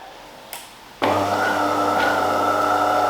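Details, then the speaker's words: DeLonghi bean-to-cup coffee machine brewing on the finest grind setting: pump gives a steady, strained flat buzz building pressure against a blockage, water not getting through; suspected clogged brew filter, not coffee-related. "there's a blockage something's blocked you can hear the prompts building up pressure it's not going through that's got nothing to do with the coffee"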